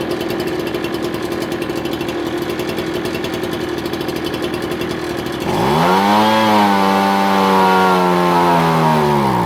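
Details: Ryobi BP42 backpack blower after hard-start and air-leak fix, carb previously misadjusted to compensate: steady buzzing idle, then rev climbs, sags and struggles to hold; bogs on acceleration while low-speed jet is being adjusted.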